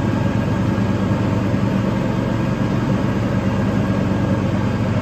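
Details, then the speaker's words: Toro TimeCutter 5000 zero-turn mower after maintenance with the deck refitted, leaf test run: constant engine drone with a steady deck whir under load, speed holding even; running normally. "only the blades get going off just the way it's suppos to now we got some leaves back here so see uh See if we can uh rake some leaves with this thing totally a thing I promise you"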